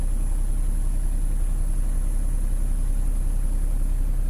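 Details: Tata BS6 diesel after an accelerator pedal replacement for fault code 1242, pedal reading correctly: deep, steady idle with an even beat and no knocks, misses or hunting; normal idle.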